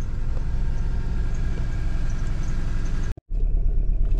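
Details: 2001 Toyota RAV4 2.0L four-cylinder runs with an uneven, lumpy, stumbling rumble, won't accelerate, and has a blinking check engine light: misfire from an ignition problem such as a fouled spark plug or failing coil pack.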